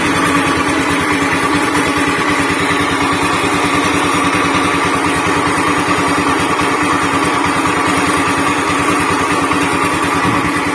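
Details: Honda Beat FI scooter with rough noise from engine centre: fast, coarse chopping rumble like a helicopter under steady idle, before CVT removal and repair; worn crankshaft bearing.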